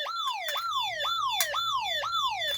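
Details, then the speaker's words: Simplex 3001 alarm panel in a controlled test: with the system armed, the zone 1 FCI MS2 pull station is activated. The siren sounds a loud repeating falling warble of about two sweeps a second; the keypad later identifies zone 1 as the fault. "And the audible is sounding as well."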